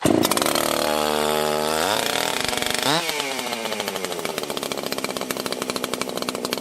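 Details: 1980s Husqvarna 281 chainsaw, after fixing a popping/crackling ignition issue: clean high revs holding an even, steady pitch with no crackle or break-up at the top; normal running.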